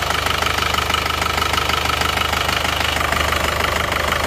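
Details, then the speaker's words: Isuzu Panther Touring New diesel idling unevenly with hard regular tak-tak knock and chuffing pulse; one cylinder seems dead, suspected nozzle, delivery valve or injection pump; smoke and wet blow-by at dipstick cap; misfire with blow-by. "Ada satu silinder itu yang tidak bekerja kayaknya, jadi kurang maksimal. Mungkin dari nozzle-nya ini, atau mungkin dari delivery atau boscomnya."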